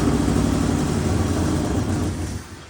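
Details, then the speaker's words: 1963 Ford Fairlane 500 V8 with fresh spark plugs: low, uneven idle fading near the end; a vacuum leak because the metal line from distributor to carburetor was left off, its fitting broken, which caused the poor idle. "Found a vacuum leak right there at the end. I forgot to put the metal line that goes from the distributor back to the carburetor. The little line broke off where it fits onto into the carburetor. So we're going to have to work on that a little bit, but that was why it wasn't idling too good."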